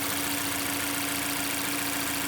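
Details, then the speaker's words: Mazda 6 Skyactiv 2.0 petrol engine after rod bearing replacement, not yet warm: light, quick ticking over a steady idle, just the normal high-pressure fuel pump; knock returned later. "Так мотор завезли здесь посторонних пока не слышу Он еще не особо нагрелся катание это у нас насос ТНВД идет"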